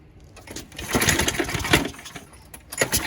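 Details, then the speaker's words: Craftsman mower that popped but wouldn't start, after flywheel key replacement; fires, hiccups briefly, possibly from water or something else inside, then runs fairly evenly; the oil was then dumped. Normal running. "bad runs pretty damn good a little bit of a hiccup there at first if that might have been because some water or something else that was inside it dumped this oil out"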